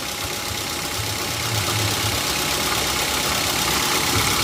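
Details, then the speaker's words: Petrol car engine (Avanza/Xenia-type) started and idling as a normal-condition reference: catches and settles into an even idle with a steady hiss, no knocks or rough stumbles; healthy. "nanti kita akan coba dengar suara mesin mobil ini ya Ini suara mesin mobil dalam kondisi normal ya teman-teman ya"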